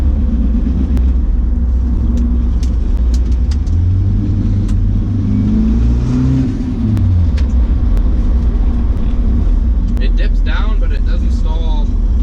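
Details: Nissan 240SX S14 with a KA engine and a stalling problem, warmed up, after cleaning the idle air control valve, a boost leak test and a new knock sensor. The engine rumbles, then revs sag and hang low when the throttle drops, nearly stalling, then recover.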